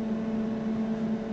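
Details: Medical-grade air compressor, previously malfunctioning and slated for disposal, now reaching 120 psi with a cooling fan blowing over it: a steady, even mid-pitched hum with no knocks or surging, sounding healthy after the fix.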